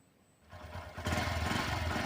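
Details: Two-wheeler that wouldn't start, after reconnecting the spark plug cable: a few cranking pulses, then the engine catches and settles into a steady, even idle with no knocks.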